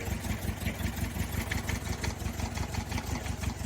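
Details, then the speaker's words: 1990 Toyota 4Runner 22RE, about 250K miles, just limped home off the freeway, not running hot: lumpy, loping idle about three beats per second with heavy engine rock, misfiring on only 2 cylinders; low oil pressure at idle. "these damn Toyotas just don't like to give it up do they started running better halfway on the freway then it started like it started gaining speed"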